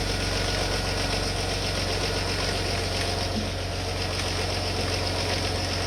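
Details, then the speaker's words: Rover KV6 at idle after oil change with 10W-40 semi-synthetic: fast light ticking rattle about four per second, sounding like worn cam or collapsed tappets; suspected failing inlet manifold variable-intake motor/butterfly valves, unconfirmed. "it gives the exact same sound of worn out camshaft a collapse hydraulic tappets that concert just sounds like a worn out engine"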